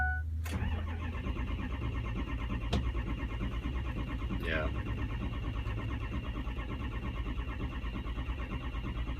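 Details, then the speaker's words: Dexter's truck, 68,000 miles, died on the road: steady low churning crank over several seconds, no firing. ICP only about 350 and leaking down; diagnosed as a high-pressure oil leak, possibly STC fitting or dummy plug. "350 so ICP is not getting enough to fire up look at bat it's leaking down to ok so it is a high pressure oil issue that's what's causing it"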